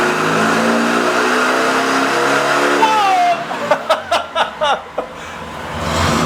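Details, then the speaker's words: Neglected air-cooled VW 1600 dual-port engine on a dyno at about 50 hp, not revved for a long time and smoking less than before: hard rise to the limiter with a clean, even exhaust note, then sharp throttle blips; it sounds healthy. "I'm thinking there was a pile of oil gas and everything on top of it top of the the the cylinder yeah it hadn't been revved like that for a long time I mean it's it sounds good"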